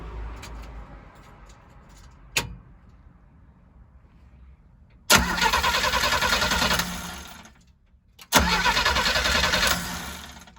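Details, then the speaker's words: 1968 Chevrolet G10 van, 250 CID with a one-barrel Rochester Monojet carburetor, cold start after sitting overnight: three long cranking runs winding down without firing. A faulty choke is suspected. "See, that's no bueno. It should start up right away."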